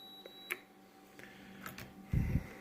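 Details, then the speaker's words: Multimeter continuity test across a Skylark lowrider switch, leads on first and last terminals: steady high beep, current flows all the way through, switch good. "that beep means it's good. That current flows all the way through."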